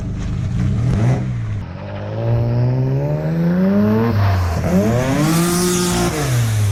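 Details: Twin-engine Mazda MX3 AWD drift car after fixing a corroded ground that made the rear engine break up: climbs hard through the revs, drops on each shift and pulls strongly again without stumbling; normal acceleration.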